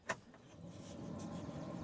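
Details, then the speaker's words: Old yellow farm truck that only clicks on start; faint whoosh builds after a click and settles into an even airy rush as the cabin AC blower fan spins up and runs normally. "oh yeah we got AC already blowing all our spider webs around just what we want"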